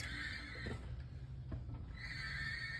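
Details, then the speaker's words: 1976 Cutlass Turbo 350 transmission reinstalled after a front pump reseal and drum reassembly, no fluid yet, driveshaft connected: a high squeal over a low rumble as the wheels are turned. Owner unsure if normal. Cause unclear. "Long story short, now it's in the car and I hooked the drive shaft up, and when I start turning the wheels, you'll notice it makes a noise."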